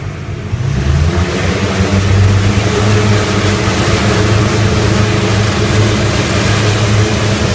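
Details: Rotec R3600 radial engine on test-stand dyno after mixture leaning (10–11 L/h) and magneto checks; strong even low drumming settling into a steady run, no misses or knocks, running well.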